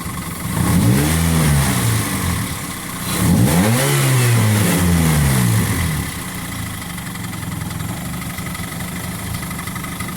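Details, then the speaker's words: 2004/2005 Toyota Corolla petrol engine idling and blipped twice, steady knocking rattle; sounds like a rod knock, but mechanic suspects a worn timing chain tensioner; timing chain kit to be replaced. "Parece biela, né? A princípio parece ser biela. Segundo o meu mecânico, diz que é o kit corrente de comando, né? O tensor da corrente de comando que tá gasto."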